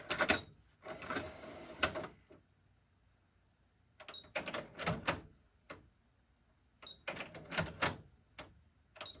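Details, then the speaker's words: Panasonic RX-DT901 Japanese import, cassette deck: bursts of clicks and whirring then silence, repeating; mechanism tries to engage but nothing keeps moving and it quits immediately. Owner suspects a lubrication issue, not confirmed. "well it's doing a little more than it was before yeah it sounds like nothing's moving in there yeah it just quits immediately"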